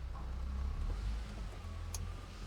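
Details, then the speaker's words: VW Corrado on a test drive right after replacing both noisy wheel bearings: steady low road rumble with no growl or whirr climbing with speed; the new bearings run quiet. "This side it worked. Well they don't make any noise which is good."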